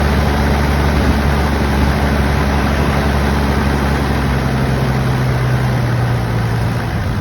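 A low, heavy diesel idle, fairly steady on the surface but with a slightly uneven, lumpy beat underneath; it idles rough.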